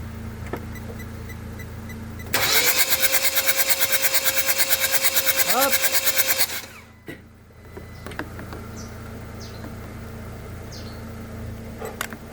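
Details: 2014 Hyundai Santa Fe no-start diagnosis: the starter cranks with a fast, even chatter for about four seconds but the engine never catches, then falls quiet. It cranks but won't start; an injector spray test follows.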